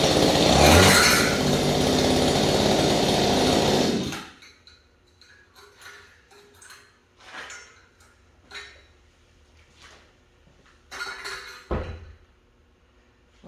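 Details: Small engine after a no-start fix, with the cleaned spark plug and no air filter: a loud, high two-stroke buzz held steady about four seconds, then shut off; it runs cleanly and strongly.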